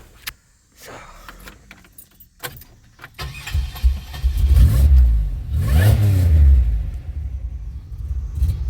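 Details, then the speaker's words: 2007 Pontiac Grand Prix after replacing the ICM and its crank/cam sensor harness, following crank no-start trouble: keys jingle, the starter cranks briefly, then the engine fires right up and runs steadily. Normal start, second time in a row. "she running and really she pretty much fired right up so that's both times now"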